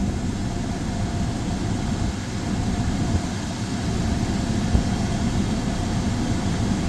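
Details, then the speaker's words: 2015 Chrysler 200 shortly after restarting from over a year parked, idling with AC on and cooling: even low idle hum with a faint steady AC whir, no misses or knocks; normal idle. "Yeah, it's starting to cool off. AC is, yeah. That's good. So far, so good."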